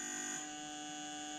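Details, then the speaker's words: Toyota 1UZ-FE non-VVT-i engine on Link aftermarket ECU, idle control solenoid replacing factory stepper, test pulse width output: faint steady high buzz at constant pitch, valve cycling rapidly; working normally. "here is it buzzing it's making quite a noise right so I'm going to put that on to ISC solenoid"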